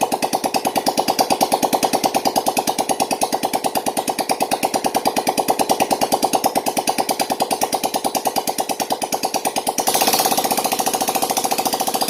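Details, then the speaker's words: Yamaha Jupiter Z1 / Vega ZR after repair of scored bore, piston and worn valve stems, idling with exhaust removed to check for smoke: loud, crisp, evenly spaced pops, a short rev near the end; fires cleanly, no misses. "Jadi untuk memastikan motor ini benar-benar tidak makan oli lagi atau ngebul asapnya, itu teman-teman cukup hidupkan dalam keadaan knalpot terbuka ini dalam durasi 5 menit ya teman-teman."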